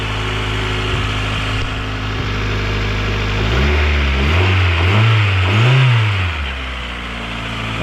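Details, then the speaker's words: 2000 Honda CR-V, 170,000 miles, theft-recovery car, started cold outside: steady idle, then a few clean throttle blips rising and falling smoothly with no knocks or rattles, little smoke (likely condensation); engine runs smooth and healthy. "it sounds actually really good guys let's go check this motor out it actually sounds really healthy don't see much smoke that's probably just condensation from it being cold outside but yeah man this thing is running smooth"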